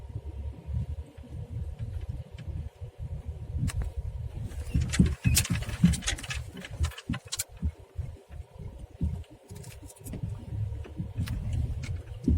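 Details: Skoda Rapid driven over an uneven road in first gear: dull, irregular thuds from the front left corner on each bump, road rumble underneath; worn, broken front left shock absorber knocking, small potholes silent.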